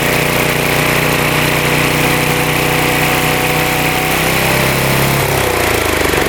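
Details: Mower after idle adjust set all the way out for higher RPM: loud, steady run at higher speed, note dipping slightly near the end as blades engage; blades spinning faster, sounds healthy.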